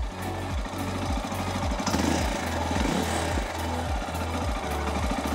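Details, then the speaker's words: 2022 CSC TT250 carbureted single-cylinder enduro: a slow, lumpy idle firms up and speeds up as the carburetor idle speed screw is turned a quarter turn or less, to be done at running temperature; the low idle is raised. "I like to turn it maybe a quarter or even less than a quarter of a turn at a time and you can hear that idle pickup speed"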